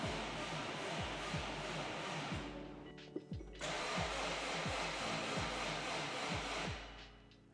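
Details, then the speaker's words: Freshly rebuilt engine cranking before its first start, oil light still on until oil pressure builds; slow, labored, uneven cranking that drags and pauses because the weakening battery can't spin it fast enough; slow cranking from weak battery. "Yeah, we're losing battery here. I don't think it's spinning fast enough."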